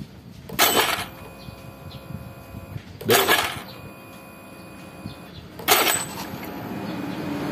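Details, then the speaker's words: Honda Beat FI scooter won't start: three short rattling starter click bursts per press, engine never cranks; battery reads 12–13 V but is too weak without charging. "teman-teman tanpa tambahan casan aki ini enggak enggak kuat ya temen-temen masih trek trek trek gitu nah Berarti sumber masalahnya ini diakuinya sudah menipu saya"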